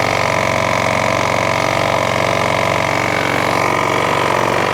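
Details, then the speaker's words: Mountfield mower, used, drive works: loud engine running fast with steady regular knock under exhaust rattle, about three per second; owner suspects rod knock, unconfirmed. "the drive does work but my Christ do it make a knocking noise I think it is a rod knock let me know what you think in the comment section it do sound like Rod knocked on me"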